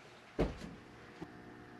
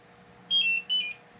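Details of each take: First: Propane detector in a Class C RV camper calibrated after the oven connection was re-tightened: quiet room, then one short bright high chirp signalling calibration done with no gas present. The oven had leaked propane because the fitting was not tight enough; no leak now. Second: RV propane detector alarming: two short bursts of high warbling beeps in a quiet room, propane leak at the oven connection after reinstalling it in a new countertop; cause found to be a fitting not tightened enough.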